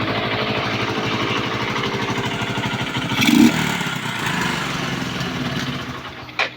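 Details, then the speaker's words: Kawasaki Boxer after 4-pin CDI conversion fix and idle adjustment, exhaust pipe still to be welded: steady, even single-cylinder putter with clean firing rhythm, no misses or stumbles; normal running. "ta's ipa welding natin yung tambutso yan goods na po yung andar"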